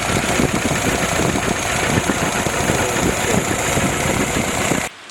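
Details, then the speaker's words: Freshly built Willys F-head engine with Weber carburetor replacing troublesome YF carbs, break-in run indoors without fan at about 185°: steady, even low idle with smooth firing beat and no misses or knocks until switched off; healthy idle. "the weather is idling nicely and uh"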